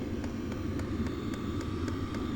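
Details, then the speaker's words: New portable Vevor diesel heater just reaching full speed after first start: steady fan roar with faint even pump ticking about four per second; running smoothly at full output. "I'm anxious to see how loud this is once it's running full. It just started going full speed."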